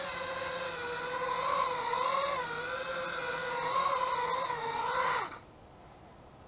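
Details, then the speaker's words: Eachine Wizard X220 quadcopter: motors spool up on their own on the ground at slightly-above-idle throttle, which is normal; in flight a steady high buzzing whine swells and dips with throttle, then cuts cleanly; healthy motors. "so it's being weird and you can hear it spooling up but once you get it in the air it's okay and it seems to seems to be fine"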